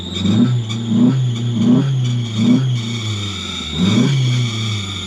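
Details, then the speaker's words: 2012 Ford Focus manual, flooded to the roof by Hurricane Helene, just started and blowing water from the exhaust: revs surge and sag about every 1.5 seconds and won't hold a steady idle. Engine otherwise sounds healthy; alternator possibly seized. "so it doesn't want to stay idling but it's the engine sounds pretty healthy"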